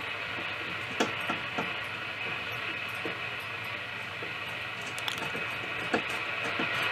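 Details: Philips 206A radio, built about 1940 in Holland, during restoration with aerial connected after IF alignment: only steady hiss with scattered crackles, no station or tuning whistles; local oscillator not running, set slow to come up.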